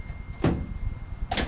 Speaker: they make a popping sound when you pull them down straight tell me it kind of gets stuck there I push it down it makes that loud pop when it comes back up